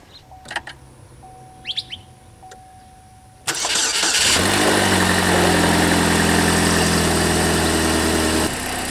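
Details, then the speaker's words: Chevy HHR 2.4L with over 300,000 miles starting after a spark plug change: a few quiet clicks, a short crank, then a steady, even idle; normal start and idle. "she's a little noisy when she first starts because she has a lot of miles on her, but she sure sounds good when she gets going."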